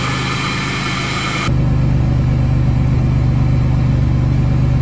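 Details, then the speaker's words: 1998 Chevrolet Lumina LTZ, 3.8 Buick Series II engine, sat about 18 months (last on road October 2007), just cold-started first try: smooth, even idle with a steady low rumble, no knocks, misses or smoke; normal idle. "motor sounds perfect wow no smoke good exhaust well you'd never know sounds like she was just running five minutes ago"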